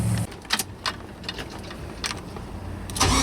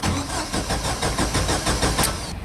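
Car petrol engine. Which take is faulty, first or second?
second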